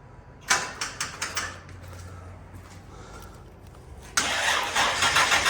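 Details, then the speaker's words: Barn car after about 3 years stored, battery at 8 volts, suspected bad exhaust leak: a short burst of quick cranking dies off, then a longer crank with no firing; cranks but won't start, owner unsure of startup procedure, fuel thought unlikely. "I don't remember if this one had any weird startup procedures or not. I do have fuel with me. Okay, shouldn't be that."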